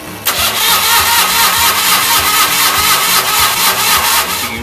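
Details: 1964 Rand Mailster with Onan industrial engine, hard starting, suspected flooding: long uneven cranking at about two pulses a second with no catch; plugs later found dry, cause not confirmed.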